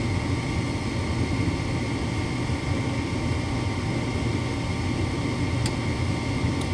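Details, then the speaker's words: Furnace with intermittent no-start (owners had been flipping the breaker); inducer on and igniter lit, 26 V measured at the gas valve, but only the steady inducer hum is heard with no burner light-off: bad gas valve not opening. "Got 26 volts. So the gas valve itself is not opening."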